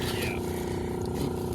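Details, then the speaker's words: Fujitsu Halcyon heat pump showing 5 amber/9 green compressor motor fault: steady hum with rough, buzzy, uneven edge over the fan; compressor sounds strained and bad, diagnosis pending. "but again I don't like that compressor sound that was bad"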